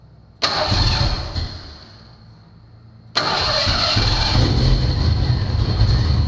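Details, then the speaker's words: 1990 Ford Mustang 5.0 GT V8, sat over 4 years with engine apart, on existing fuel system with fuel pressure: catches, stumbles, restarted, idles lumpy and uneven; really bad misfires, owner suspects sticking injectors. "so got some really bad misfires i'm i'm uh a little suspicious of i'm suspicious that we have some bad injectors like sticking injectors"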